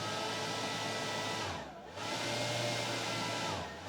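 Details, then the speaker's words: Atlas 40V brushless lithium leaf blower at its slowest variable-throttle setting: soft steady whir, even pitch with a brief dip, no rattle or grind. Normal low-speed running. "that's as slow as I can get it right there"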